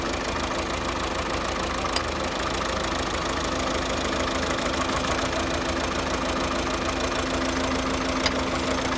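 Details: 2009 Volvo S40 1.6 diesel idling unevenly with a misfire, a knocking pulse about three times a second and a faint whine; cause never found, car sold for spares/repair.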